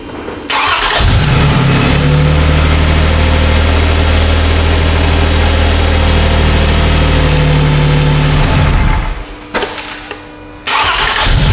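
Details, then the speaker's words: 2007 Toyota Sienna 3.3 with a P0340 camshaft sensor code and previously very long cranking, after repair: cranks, catches at once and settles into a smooth, steady idle with no code returning. "all right no code fired up okay"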